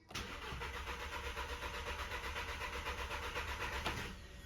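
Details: VW GTI stage 1 tune, won't start after hard driving, new APR coils fitted: starter spins evenly about four beats a second, never fires; fuel pressure very low, fuel smell, oil level high on dipstick; fuel problem suspected.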